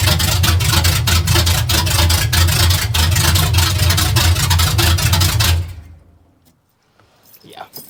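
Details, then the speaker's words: Truck with new exhaust, no drag-race cam yet sounding like one; loud deep lopey rumble about three lopes per second, then shut off; normal idle, healthy V8 through loud exhaust; separate fuel leak from a hose noted. "This is actually uh pretty awesome. It makes it sound like it's got like drag race cam in it even though it doesn't."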